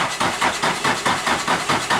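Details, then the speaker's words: Nissan 180SX drift car, jump-started at 12 volts with cranking fuel increased: engine cranks steadily at about four compression pulses a second but never fires; crank-no-start, owner suspects no spark. "i was so hopeful that was it just not getting any spark"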